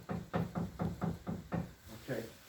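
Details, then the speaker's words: Dunster Water Mill, Somerset, water-powered millstones milling rye: regular dull, wooden knocking about four times a second as the shoe is shaken to feed grain onto the turning stones. Normal "chattering of the stones." "and that knocking noise you will hear when the stones are turning we often call it the chattering of the stones"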